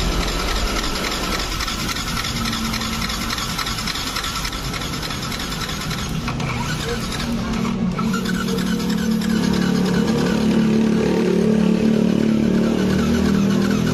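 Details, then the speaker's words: Yamaha R15 that won't start at all, compression gauge in the spark plug hole while cranking on the electric starter: even, fairly quick cranking with little push-back; compression reads only 50 PSI against a 100 PSI minimum. "Kalau kondisinya di 50 PSI ini mesin nggak akan menyala 100%, karena untuk nilai minimal toleransi untuk kompresi itu di 100. Kalau di bawah 100 itu pasti bermasalah."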